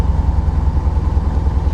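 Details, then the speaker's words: Corvette just started on the second try in the 40s °F, usually needing three attempts: lumpy, uneven idle beat with occasional stumbles in the exhaust pulse; definitely a little misfire at idle. "It's definitely got a little misfire going on"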